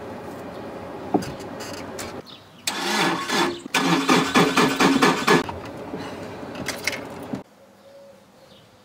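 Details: Old Opel Corsa petrol car in midday heat, driver pumping the pedal: starter churns in repeated long bursts with pauses, engine never catching cleanly; long cranking, hard start.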